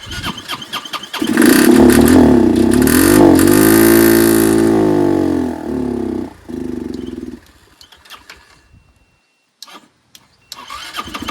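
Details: Curb-found Chinese 150cc Moto Cooper Revo/CF Moto scooter, ignition hot-wired (spark confirmed), primed by hand: cranks, catches into rough revving run for a few seconds, then fades and dies; owner suspects fuel delivery problem.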